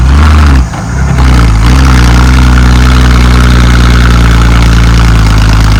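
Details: Ex-Australian Army International ACCO 6x6 truck with a Perkins 6354 six-cylinder diesel, running and driving after bleeding the fuel lines: loud deep drone dips briefly then settles into steady even running, no knocks or misfires; normal running.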